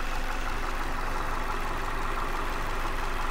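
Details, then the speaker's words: 2016 Ford Transit Connect XL cargo van four-cylinder engine at idle: a low, steady idle with an even pulse and no ticks, knocks or misses, described as really smooth and consistent. Normal idle. "it does have a really smooth consistent idle that sounds good it handles really well the little four-cylinder engine that it has does not struggle to get it around at all"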